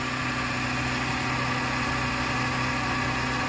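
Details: Mercedes bought cheaply, dead battery, started on a jump from another car: steady, even idle with smooth low hum, no knocks, misses or rattles; runs cleanly despite electrical issues.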